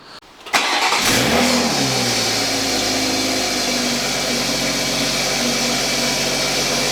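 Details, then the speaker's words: Toyota A90 Supra with blown turbo before replacement with a new 6-port turbo: engine settles into a fast idle with a harsh raspy hiss and rattle over the top; sounds terrible, failed turbocharger. "So I'll show you guys what the turbo sounds like right now. It sounds terrible, absolutely terrible."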